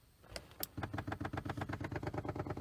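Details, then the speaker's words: 1993 C4 Corvette lumbar pump after diaphragm repair with a bicycle inner tube, tested before refitting the seat: rapid even pulsing around ten strokes a second, lumbar inflating; normal pump operation. "you can hear it going and I want to say it looks like yep it's definitely inflating so we're good"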